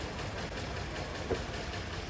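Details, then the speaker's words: 2008 Toyota Corolla petrol engine, hard to start and lacking power: rough, uneven, shaky low idle with heavy vibration, misfiring from clogged fuel injectors, before injector removal and cleaning. "लेकिन देख सकते हैं आपके कितनी meeting है इसमें engine बहुत ज्यादा वाइब्रेट कर रहा है यह देखें"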